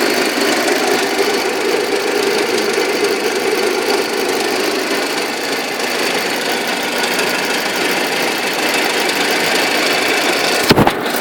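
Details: Audi A6 engine at idle: steady fast ticking knock riding over the idle without letting up; engine knock, cause not yet pinned down.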